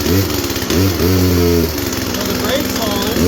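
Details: Poulan Pro two-stroke chainsaw that lost power (clutch seized), run on last year's gas and oil with parts-washer diesel making it smoke, choked and primed: fires and holds, revving up and down unevenly with buzzy crackle, then picks back up; running again.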